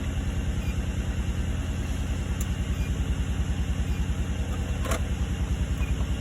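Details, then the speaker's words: 2003 Nissan Murano V6 at idle after swapping coil packs 2 and 4 and clearing P0302 cylinder 2 misfire code; still idles slightly stumbly, faint pulsing stumble. Oil found in plug wells; P0021 also shown, owner suspects VVT or a bad coil. "So, this is it with the code cleared. still seems to be idling a little stumbly compared to how it used to."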